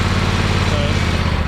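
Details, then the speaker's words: John Deere X500 Kawasaki twin after cylinder head replacement (valve guide failure), choke half on, owner suspects bad gas: loud low steady thump at fast idle, firing evenly on both cylinders; normal healthy running. "but it is running on both cylinders there sounds good healthy sounds like C soy"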